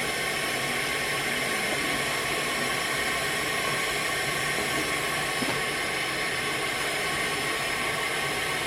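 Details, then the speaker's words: Skoda Octavia vRS engine not running during a leak-down test with the fuel rail off: a steady loud hiss of compressed air escaping straight into the sump, pointing to piston or ring failure. "so I'm just going to turn up the pressure there we go you can hear it put an inlet [Music] it sounds like it's going straight into the sump"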